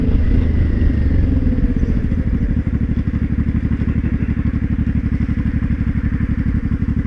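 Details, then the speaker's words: Honda Shadow 500 motorcycle riding under throttle: rapid regular metallic clatter about four per second over the engine, stops when throttle released, worsening; earlier low-rpm knock; broken and loose bolts without Loctite and a loose oil passage piece found. "oh my god interesting okay so I'll throttle it stops yeah I let off the throttle it stops that makes me think it's in the gearbox"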